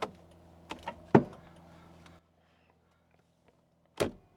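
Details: Mercedes W205 C63 with a stuck electric steering column: a faint motor whir for about two seconds with knocks and a heavy thump as the knee pushes up on the wheel while adjusting, then it stops.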